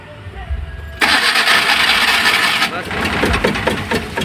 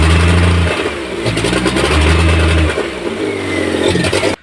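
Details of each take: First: Maruti Omni: steady starter cranking at about three turns a second that never catches; no spark at plug wires, crank no start traced to faulty spark plug leads/ignition cables. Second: Maruti Omni after fixing a spark plug cable problem: starts on first crank, revs up and settles into an even beat with no misses; normal running.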